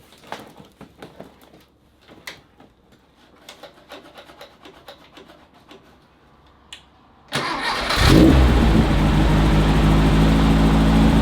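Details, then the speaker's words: 1968 VW Beetle, carbureted, bypass-wired with choke and coil powered, primed by hand; clicking then catches into loud, steady, slightly lumpy run; rough running as carburetor needs much adjustment, compression test shows cylinder one weakest, needs rings. "we won't idle the best right now and as you can tell the carburetor needs tons of adjustments"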